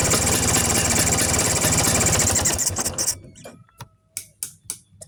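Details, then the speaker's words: Vespa two-stroke engine idling, carburetor cover removed: even beat with thin high chirp, then shuts off; air leak past loose carburetor mounting nuts, cured by tightening them. "Karena biasanya suara yang dihasilkan seperti ini berasal dari area karburator, teman-teman."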